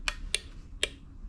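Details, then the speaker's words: Brand-new 12 V 5-pin relay on a relay tester: four crisp, sharp clicks about half a second apart as it pulls in and releases cleanly; tester reports okay, normal relay operation. "can hear it clicking. So testing the relay, and then it comes up and tells you whether it's bad or okay. So this one's particularly okay."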